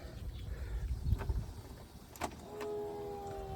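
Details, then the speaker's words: 2012 Arctic Cat Wildcat 1000 UTV reportedly in limp mode, at key-on: solenoid clicking, then a steady, even motor hum holding one pitch; fuel pump priming normally. "fuel pump kicks on. It just It don't do anything. You hear the solenoid clicking over."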